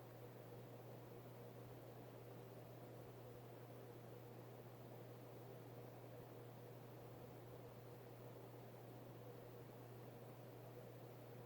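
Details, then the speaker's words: Vintage late-70s/early-80s Hunter Robbins & Myers Original 52" ceiling fan, model 22274, 2.5 amp oil-bath pancake motor, freshly oiled, on high: very quiet steady hum and faint air whoosh, no ticking or grinding; runs fast and smooth, normal. "so performance wise it runs pretty fast and like all originals it is a very good performer you know standard original air movement my antique brass one is quieter though I will give that one that"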